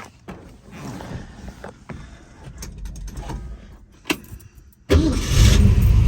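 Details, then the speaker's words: 1966 Shelby GT350, four-speed, numbers-matching 289 HiPo V8 freshly rebuilt to a 331 stroker with forged crank and pistons, already warm after being driven: catches at once without throttle and settles into a strong, steady rumble. Normal start. "right up I didn't even have to give it gas oil pressure fuel gauge"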